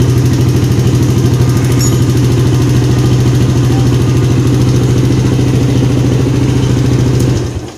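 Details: 2010 Yamaha Jupiter Z Robot after starter motor repair and refit: steady, even low thumping idle for several seconds before shutoff; engine runs normally once electric-started.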